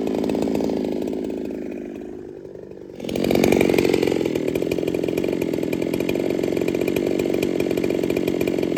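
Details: Ported Holtzfforma 395 chainsaw after build changes: drops to a labouring low drone, then holds a steady buzzing cutting note; cut RPM about the same, owner feels slightly down on power, cause unconfirmed.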